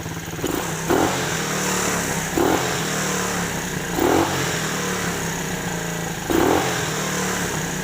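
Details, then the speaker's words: Chinese 125cc automatic quad bike, abandoned, engine not yet fully hot, oil due for change: small single idles a bit high with sharp clattery blips; likely too much fuel after carb adjustment, to be tuned down. High idle. "It's holding its revs a bit high because I've given it a bit too much fuel, so I'll back the fuel off a tad and it should"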